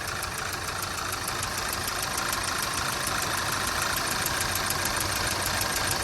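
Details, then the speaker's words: 2012 Audi A4 quattro 2.0T, 113,000 miles, flashing check engine light: uneven, lumpy idle around three pulses a second, unchanged with cylinder three coil unplugged, pointing to dead cylinder three. "i'm pretty sure it's cylinder number three"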